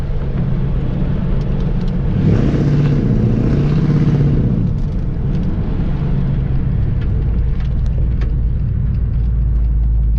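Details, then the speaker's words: Car pulls away under normal acceleration with a steady, even low rumble, no popping or skipping, exhaust sounding sealed and healthy; owner says it finally has some life again. "sounds pretty good right finally sounds like I'm saying it's got a little life to live again"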